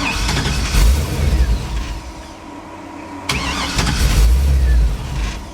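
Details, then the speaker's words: 1957 Chevy with Holley system still learning, first time under its own power: cranks, catches, runs unevenly, fades out and quits, then recranked and caught again. Hard starting with stalling; owner calls the Holley a slow learner. "they don't like to start I don't like to start for some reason like that it quits"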